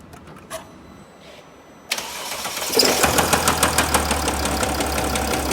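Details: 2007 Mercedes ML320 W164, OM642.940 diesel: after the starter catches, a sharp regular knock about three per second over diesel clatter at idle; engine knock, cause unconfirmed.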